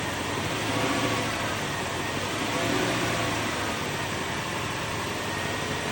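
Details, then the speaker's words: 2002 Lexus LS430 V8 at smooth steady idle with faint thin whistle; owner suspected alternator whine but judges it normal for the engine. "kind of hear the whistling, not too bad. It sounds good. So I'm thinking there's not a problem, that's just the way the engine is."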